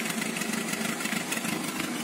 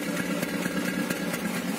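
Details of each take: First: Peugeot 206 1.1 petrol, 500,000 km, after replacing coil and intake MAP sensor and resetting ECU: steady, even idle with no hunting or surging; earlier idle roughness, cold stalling and power loss resolved. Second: Peugeot 206 1.1 petrol with 500,000 km, cold only and coil already replaced, engine light sometimes flashing, fuel smell: lumpy cold idle with irregular misses and stalling; owner suspects the MAP (intake pressure) sensor.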